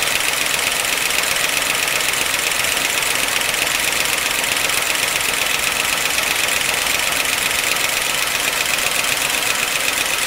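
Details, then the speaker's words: 1955 Pontiac Chieftain, oil last changed around 2002, just refilled with 10W-40 plus Marvel Mystery Oil, hoping it quiets: steady idle with fast, fairly even ticking knock about twice a second, source unknown; abnormal engine noise at idle. "so let's fire it up and then give it let it run about five minutes and see if it's any quieter"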